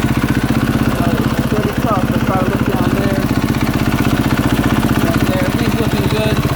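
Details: 2022 KTM 450 SXF after transmission repair (5th gear had failed), warm idle on stand during heat cycle while checked for leaks: even single-cylinder thump at steady fast idle, regular pulses, no misses, rattles or knocks; normal warm idle.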